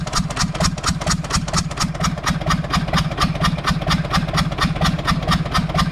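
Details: Universal 550 diesel tractor idling after earlier blue smoke, stumbling and fuel leakage. A sharp, regular knock about twice a second rides over the low rumble. The connecting rod bearing is worn, with up-and-down play.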